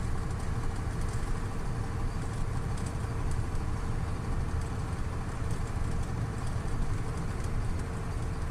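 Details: KamAZ 740.13 V8 diesel after repair of cylinder 8 knock from scored liner, new FM 740.30 pistons fitted, during break-in: steady, smooth low idle with no knocks or ticks; healthy.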